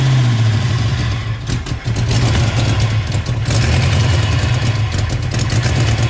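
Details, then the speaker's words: 1988 Mustang GT on first start after a Trick Flow top-end kit and mass air conversion, timing about 15–16 degrees, struggling to stay running: a heavy, stumbling idle misfire with a sharp ticking puff from an exhaust leak around the collector. "very interesting somewhere see we can track down this exhaust leak everything seems tight it's around that around that collector right there"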